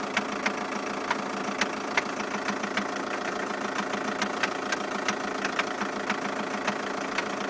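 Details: 2007 Skoda Octavia II 2.0 TDI (believed BKD), after a cold start, a few minutes into idle: sharp, uneven knocks about twice a second over the diesel idle. Owner unsure, wonders about balance shaft; clutch and dual-mass flywheel were recently replaced.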